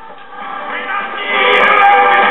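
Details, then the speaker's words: '69 GE solid state AM clock radio, reference unit identical to the one under repair: weak station at 670 comes in with music over light hiss, clean and steady; normal AM reception. "and as you can hear the the weak station at 67 is coming in on this radio so I think we need to tear back into this one and see what's going on with it"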